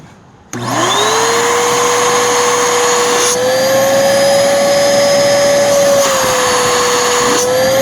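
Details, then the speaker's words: Bissell Powerforce Helix upright vacuum, a waterlogged curb find that had water run through it, motor spinning up to a steady high whine with slight airflow pitch shifts; motor still doing okay though not perfect. "and the motors still doing okay I don't think it's perfect but yeah you know for putting water through it it's holding on for dear life"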